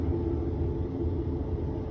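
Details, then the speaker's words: Whirlpool washing machine run dry in test mode and turned by hand; steady deep droning rumble like a small plane from worn transmission bearings, caused by water leaking into them. "Bueno vamos a seguir al parecer cuando no cuando la giras hace el ruido ese parece una avioneta parece que el problema va a estar en los baleros de la transmisión"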